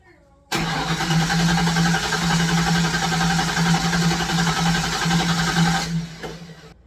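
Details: Long-sitting Fox Body Mustang cranking on an uncharged battery with charger on, fresh gallon of fuel and starting spray: fast steady crank with even chug, never catches; crank, no start, injector signal next to check.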